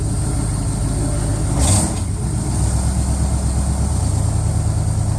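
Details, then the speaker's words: 1980 Camaro V8 with a newly installed computerized fuel-injected carburetor, idle screw backed out: low, even idle with a steady deep burble and no stumble; the idle mixture is judged perfect. A flexplate touching the starter gear makes a minor noise. "but this is just a test of the new fuel-injected carburetor computerized that's perfect idle idle mixture"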